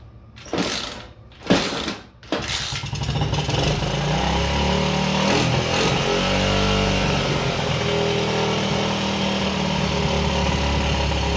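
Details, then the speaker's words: Pit bike with Lifan 110cc engine after carburetor adjustment, still not perfect: blips then fast, slightly uneven idle that stays raised after letting off; damaged throttle sticking, holding RPM up, carburetor still needs tweaking. "This throttle's jacked up, so it kind of sticks. So I don't know if you've noticed that RPM's kicked up. It kind of stayed there, even though I got off the throttle."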